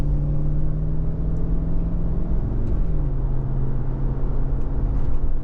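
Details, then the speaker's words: 2007 GMC Yukon on road test after replacing destroyed limited-slip spider gears in 8.6-inch rear differential: even low road rumble, no whine, howl or clunk as speed changes; rear end nice and quiet. "o she sounds nice no clunking and banging in Reverse so far so good no W and noises actually it drives fairly decent"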